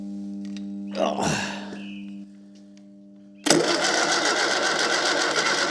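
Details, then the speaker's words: Fiat 600 engine on test with an unresolved oil seal leak; owner suspects the oil pressure relief valve was assembled wrong. Engine catches sharply and runs with an even, steady beat and no knocks. Normal running, sounds healthy. "But it sounds quite healthy."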